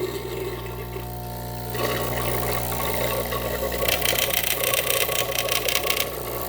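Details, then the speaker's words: Gaggia Classic Pro espresso machine after replacing the leaking steam valve and knob, heated to temperature, no leaks: pump runs with steady mains hum and a rough rattly buzz building as water pushes through; unusual sound, cause unknown. "quick interesting sound so don't know what's going on"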